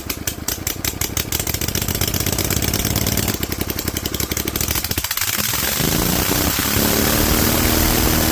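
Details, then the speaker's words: Rebuilt Vanguard 16HP V-twin with a 23HP carb, idle raised on choke, open air filter and header letting in too much air; a spring came loose: ragged, irregular popping at low speed, then a harsher, higher rev that never smooths. Rough running. "I'm gonna up the idle and see if we can get it to punch up because we're running open air filter open header open everything it's getting way more air than it really should and so I expect it to not be happy"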